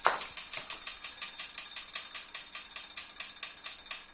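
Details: New Wahoo CORE bike trainer: crisp, evenly spaced clicks about four or five a second in time with the flywheel over a faint hum; loud running and an internal clicking fault.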